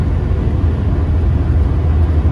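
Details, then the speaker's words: Diesel truck after seized turbo actuator replaced, driving on highway: low steady drone, even rumble, no knocks or surging; pulling fine, boost gauge normal, normal cruise. "Truck runs fine, it's pulling fine, the boost gauge is fine, so everything seems to be running normal again."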